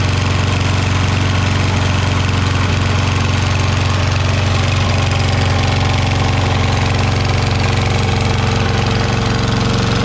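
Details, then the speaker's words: Toro Recycler mower, Kohler XT675 engine, after valve lash adjustment, draining overfilled oil and cushioning the bent front bumper to stop a vibration noise: runs at a steady, even speed with no rattle or buzz. Normal running. "So we also fixed that bumper in the front, cushioned it, bent the front fender or bumper back out again so it fills that gap, put some silicone in between there, and now it doesn't make that vibration noise."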